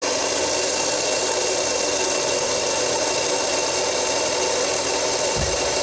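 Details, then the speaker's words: Running car: a steady hissing whir with faint high tones from a worn pulley bearing, one of the two bearings supporting the shaft, with rust visible at the pulley. "there's a bearing inside here that's making a noise so when this spins when the car is running it's running on that barrier there's one back there and one in the front to support the shaft one of the bearings is gone"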